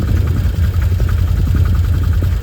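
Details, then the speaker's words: Can-Am Commander 800 XT side-by-side right after spark plug change for maintenance-required/check-engine light: steady low rumble with even firing beat, no misses or stumbles; idles a lot smoother than before. "sounds a lot smoother let's just sit here and wait and see what it does"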